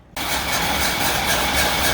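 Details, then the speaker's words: Old water truck hauled from the Nevada desert, cranked with gas poured down the intake and the throttle held wide open, possibly flooded: it fires abruptly and roars for two seconds on the priming fuel only. "it might run oh hell i might have flooded it hold it wide open i poured that gas down the intake"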